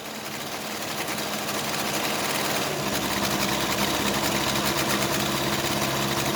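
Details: Case 580C backhoe diesel after valve adjustment, injector lines cracked; loping uneven clatter around 200 beats a minute, second cylinder weak; owner suspects second injector, valve or piston rings, not the line: misfire on one cylinder.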